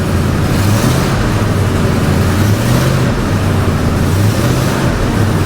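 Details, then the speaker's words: Ford F250 5.4 3-valve, microphone underneath after repair, light throttle: steady low hum rising gently with no rattle or knock; former low-RPM ringing rattle gone, no check engine light, not transmission; normal rev. "Just got back from a test drive and everything went flawlessly. No check engine light and no more noise, so that's good."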